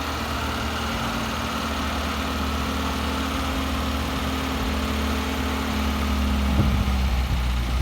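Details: 1971 MGB being resurrected after sitting in the garage, before a carb tuning: irregular stumbling idle with beats dropping out of a low, uneven chug; misfiring at idle, owner hoping driving would clear it.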